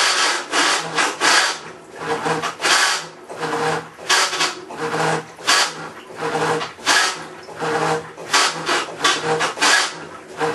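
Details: Maytag Centennial Commercial Technology washer, about 14 months old, overloaded for demo, agitating rinse water, recorded ~5 feet away: harsh scraping grind in bursts each agitator stroke, ~40 a minute; drive grinding, cause unconfirmed.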